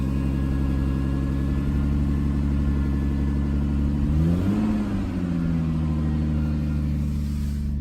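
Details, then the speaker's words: 2005 Lexus ES 330, recorded outside: loud rumbling exhaust from the rear with an uneven rough idle, rising briefly with a light rev; drives sluggishly. Owner was told it comes from one catalytic converter; suspected, not confirmed. "it's a little bit rough on the idol but just filling this Idol rough idle actually from yesterday but but even if it goes the RPM comes down it still have that sound"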